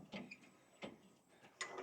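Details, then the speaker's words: Sawmill lift crank after replacing the bad thrust bearings that had caused crunching and grinding: quiet light ticks about every 0.7 seconds as it turns, with no grinding, so it runs smoothly. "seems to move nicely. So, since my mill head is all the way down, I'll suck the rod in there, suck it all the way up."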